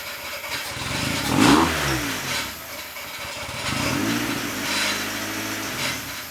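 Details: Honda Civic EJ8 coupe, D16Y8 engine, after replacing the leaking header gasket and removing a stud: engine fires and is blipped twice, revs rising and falling smoothly with no ticking or puffing, so the header now seems sealed.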